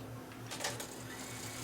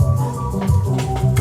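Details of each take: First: Yamaha K-1020 cassette deck after reassembling the chassis, fast-forward winding: steady motor whir with a short clatter early on, brisk even spin with lots of torque; normal winding, though play later skips, possibly from a slipping idler. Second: Yamaha K-1020 cassette deck playing a tape: dull, woolly playback with almost no treble. The head-raising cam gear isn't rotating, and the owner suspects a sticking motor or dried-up, frozen gears.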